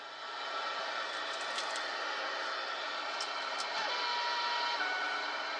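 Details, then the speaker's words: Cobra 29 LX CB radio with the vehicle's motor running: speaker hiss gains a thin whine and hum as the fuel pump switches on, rising in pitch and loudness with rpm; electrical interference from fuel pump and alternator. "there you hear the fuel pump cut on and you hear the humming and the noise give it a little bit of juice motor rev It Up comes on and off with the battery I mean with the uh alternator and fuel pump and all that"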